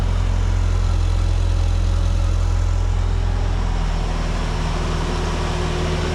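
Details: Ford Ranger 2.3 after full exhaust replacement from manifold back (new cat, mid pipe, muffler, lengthened tailpipe), first start: smooth even idle, no ticking or exhaust leaks, much quieter than before.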